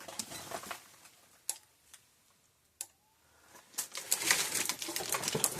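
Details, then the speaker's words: Gallagher M1800 electric fence charger plugged back in after repair: sharp single clicks roughly once a second over some rustling. It is pulsing normally after a primary-side flashover, possibly from a resistor placed too close. "And it's working. Hear it clicking."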